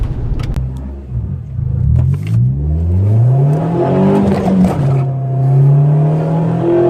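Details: Nissan Spec V, tuned QR25DE with a 6200 rpm limiter: the shifter bounced into first and the clutch was released, sending the note screaming sharply up to about 8000 rpm. Over-rev from a mis-shift; owner fears engine damage, untested.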